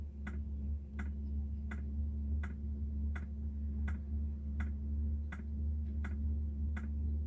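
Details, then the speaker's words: Diesel heater just installed on a Jayco Freedom caravan, running: sharp ticks a little over once a second, audible outside, over a low steady hum; normal dosing fuel pump ticking as it meters fuel. "You can hear it ticking away outside, that's for sure. Here, it's ticking away to pump the fuel."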